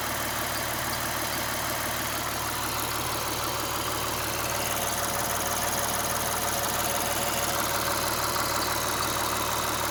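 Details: 2009 Lexus IS350 idling: quick, regular chirping tick about three times a second, coming and going after aggressive driving and loud at stops. Worn serpentine belt; replacing the belt cured it.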